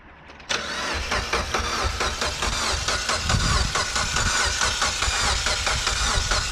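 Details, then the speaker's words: Mitsubishi Evo X 600whp build with new turbo cranking in even rhythm without firing, coil packs unplugged so oil primes the new turbo before first start. "the reason you got to do this how you don't kill the starter alright do it again alright stop we're gonna do it one more time just to be sure it's got oil in it"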